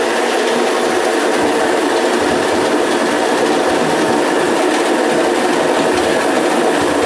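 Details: Homemade automatic motor coil winding machine, restarted after changing the slot and raising the set count above 300: steady dense whirr with fine rapid clatter, even level, no knocks; running normally.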